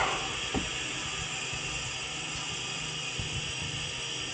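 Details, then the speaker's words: Freezer at 59 degrees: constant hollow hiss and rush over a low compressor hum, starving for refrigerant from a leak somewhere; feels like defrost is on. "Alright, so freezer at 59 degrees. You can hear the thing's just starving for refrigerant. There's a leak in it somewhere."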